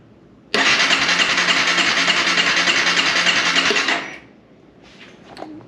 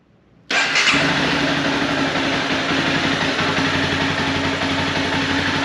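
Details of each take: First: 2011 Honda CBR250R with 7,500 miles that sat for a long time, now with a new fuel pump, cleaned tank and fresh gas: it cranks steadily for about three and a half seconds but never fires. Crank no start; owner suspects a clogged injector. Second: 2011 Honda CBR250R, 7,500 miles, long-stored, with new battery, new fuel pump and cleaned tank and fuel system: catches on first try and settles into a steady, even idle with no misses, knocks or hunting; normal start and idle.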